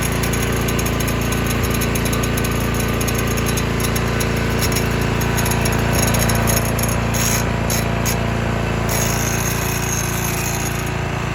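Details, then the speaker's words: 2021 Toro Timemaster mower at a steady run with a fast, fairly even clicking rattle of three or four per second on top: loose recoil starter pawls chattering, an irritating noise the owner stops with a known fix. "That clicking, rattling noise that comes from the Timemaster is just so irritating to me."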